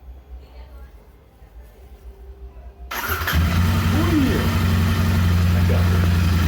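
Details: Royal Enfield Interceptor 650 that had a starting problem: quiet at first, then it catches at once and settles into a steady, even low idle with no misses or knocks. Normal start and idle.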